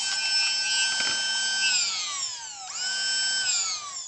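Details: Masterclip Hunter horse clipper after repair (PCB was out of place so switch couldn't operate), brushes refitted, head off: high clean motor whine dipping and winding back up smoothly, no rattle or grind; runs properly.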